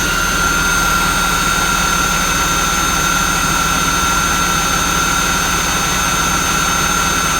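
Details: Jaguar XJ6 X300 non-supercharged engine, one-minute idle after replacing both serpentine belts: steady even idle hum with faint constant accessory whine, no squeal or chirp; belts running smoothly.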